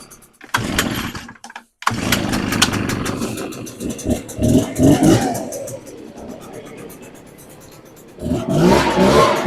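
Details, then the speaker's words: Echo PB580T two-stroke leaf blower engine, rebuilt after seizing, started on choke with fresh fuel and left to idle while warming: fires, settles, then revs up and down smoothly without stumbling or dying; normal running and revving. "That sounds really good. And then once it warms up, I'm going to take it out and do some blow and see if it keeps running and how it sounds, and if we have to adjust anything."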